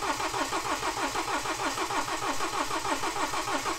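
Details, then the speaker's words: BMW with an N47 engine just refitted after a broken timing chain repair, new clutch and flywheel: a long starter churn at about three compressions a second, slowly speeding up, but it never fires. Extended cranking, no start yet. "t keep it cranking keep it cranking and hopefully eventually it will clear and it will kick in just let the start motor rest a tiny bit we'll go again"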